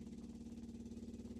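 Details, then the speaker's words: 1965 Ford Econoline, not run in almost two years, engine off: quiet, rapid, even ticking, about sixteen pulses a second, as the electric fuel pump primes the carburetor normally; the carburetor leaks; mechanical pump expected to take over. "I see it leaking. That's good. We got the system primed. Now, the manual pump should take over from there."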